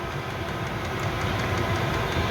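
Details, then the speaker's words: Chinese 5kW diesel heater on kerosene, 12V via 240V transformer, ramped up with pump near max 5.3 Hz: steady blower and burner roar, no surging, rattling or popping; noisy but normal running at full power. "you feel that hear that now how it's ramped up I mean it sounds noisy but to be fair you know it's it's lievable and that'll ramp down get in a"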